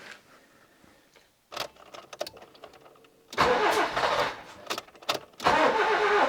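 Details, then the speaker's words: Nissan Micra K11 1.0 with a crank-no-start fault, after replacing a faulty ignition module: catches after a struggle, revs in bursts, then settles to idle; owner suspects the hard start came from overfueling after many start attempts. "Yep, it fired up. It really had a hard time firing up. And I think that's because it's been started so many times that it's been completely overfueled."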